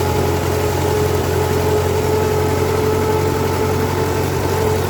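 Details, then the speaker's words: MTZ-5LS tractor diesel after valvetrain repair (broken 3rd and 4th cylinder decompression arms found), first test run with valve cover off to check pushrod oiling; steady even idle with low constant drone, no knocks or misses, healthy. "So I'm gonna do all assemble it together, and I'm gonna do a first test run without the valve cover on, so I can see that all the push rods are getting oil and the oil's getting distributed."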